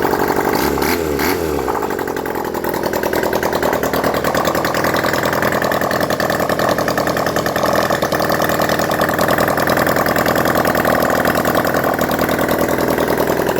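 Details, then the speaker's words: Honda CD175 restoration, after timing set, running with no exhausts fitted and leaking fuel bottle: catches after brief crank, loud raw even idle from open ports holding steady without stalling; idle with no exhaust fitted. "it's running right now cuz I need to put on the exhausts but it does seem to stay running"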